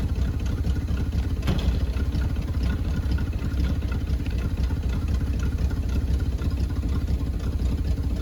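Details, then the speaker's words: 1974 Chevy C10, sat about 5 years, just revived on a temporary inline fuel pump fed from a raised tank: low, even rumble holding a steady idle with no misses, knocks or hunting; normal idle. "That's not a bad had idle for sitting for what, 5 years?"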